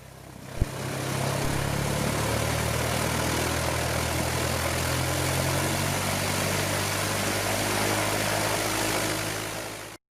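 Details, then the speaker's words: 1969 Cessna 172K, factory remanufactured Lycoming O-360-E2D 150 hp, recently near-complete overhaul with good compression: even, steady low drone swelling smoothly as revs rise while accelerating, no misses or knocks; healthy engine. "Let's take a listen and see just how easy it starts. And then hear how smooth this engine runs while accelerating."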